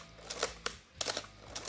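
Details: Canon AE-1 Program/A-1 film SLR after fixing its squeal with a few drops of oil on the stuck mirror-damping inertia wheel: crisp, clean shutter and mirror clicks fired a few times, no squeal.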